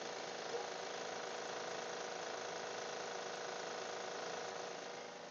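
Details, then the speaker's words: 2012 Honda Pilot at cold start after two weeks unused, serpentine belt just reinstalled: busy whirring rattle with a faint tick about four a second that sounds almost like lifters and stops once warm; cause not confirmed. "was hoping it was the pulley and it was definitely bad almost sounds like lifters once it warms up it stops"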